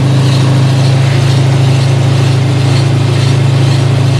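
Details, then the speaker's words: Mazda RX-7 GT-R (right-hand drive, stock rotary with smog pumps) at idle: deep steady rumble with a rhythmic pulsing air noise about four times a second; owner unsure, suspects the AC compressor may be dry or bad. "because i'm getting this pulsing air noise and i i'm not sure if it might be the ac compressor so i want to ask all of you out there who are experts maybe know what's going on if that means the compressor's dry if it's bad what it might need"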